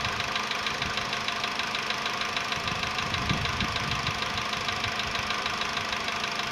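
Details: VW Polo Sedan, CFNA petrol engine, 105,000 km, before decarbonizing: cold start at 20°C after ~15 hours parked; crisp light metallic tapping about three per second over steady idle; cold piston knock fading within a minute.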